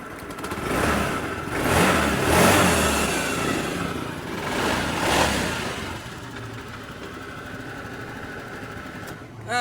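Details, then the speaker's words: Honda Beat injection scooter started after tracing an electrical fault to a poorly connected connector pin with corrosion, nothing replaced: engine catches, a couple of throttle blips, then steady idle; starts and runs normally. "Sekarang coba kita starter."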